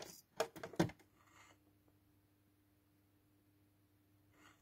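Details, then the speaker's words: Cambridge Audio Azur 540C CD player power transformer: a low steady mains hum with a faint higher buzz after brief handling, still humming even after insulating transformer varnish was applied. "lakieru do izolacyjnego do transformatorów tu i ówdzie ale nadal buczy No niestety"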